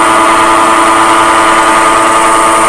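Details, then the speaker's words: Grizzly G0733 18x47 lathe, bought June 2012, headstock: steady high-pitched whir with rough hum and felt vibration, worsening over weeks; motor silent when disconnected, bad headstock bearing suspected. "this is a few weeks after I took the initial video of the noise of the lath it's got progressively worse a lot louder I can feel the vibration think we have a bad bearing"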